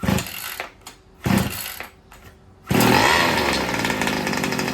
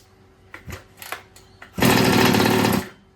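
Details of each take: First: First start of a new two-stroke engine in an old Baja, on choke with no electronics and the throttle closed: a few short cranking bursts, then a buzzy high-revving run; it fires well, but the idle still needs adjusting. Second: New two-stroke engine in an old Baja, choke off after an idle screw adjustment, starting break-in heat cycles: a few pull-start clacks, then an even buzz for a second before it stops; it sounds better than the first start.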